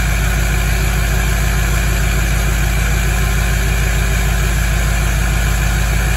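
Deep, steady diesel rumble held at a raised cold idle, firing even and smooth with no knocks or misses; engine sounds healthy.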